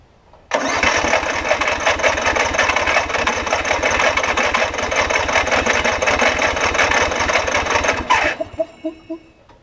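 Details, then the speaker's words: Circa-2015 Snapper rear-engine rider, push-mower-type engine, barely used, old fuel diluted with fresh gas and carb spray: steady cranking that never catches; owner thinks no gas reaching it, suspects bad gas, water or clogged jet; fuel starvation. "i think it's got i just don't think it's got any gas going into it so whatever's in there is not very good"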